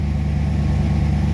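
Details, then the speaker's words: 1963 Studebaker Avanti R2 just started after storage, idle slightly raised, still warming up with water temp rising: a steady, deep, even rumble with no misses or knocks. This is a normal idle. "so up and running i'm gonna let it warm up a little bit maybe throw some fresh fuel down it we'll see how that goes"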